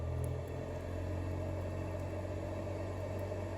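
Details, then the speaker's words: 1948 Studebaker Champion heater blower motor powered directly from the battery wire on 12 volts: steady low hum and even whir with no rattles or speed surges, running normally. "It doesn't sound too unhappy about running on 12 volts."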